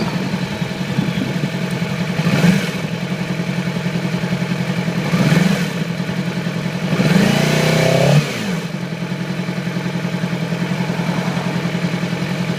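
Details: 2008 Yamaha R6: uneven idle with irregular stumbles and a few throttle blips, a dead cylinder; fine the day before, then little low-RPM power and sluggish at high RPM and freeway speeds. Cylinder misfire from a faulty ignition coil; replacing the coil immediately restored normal running.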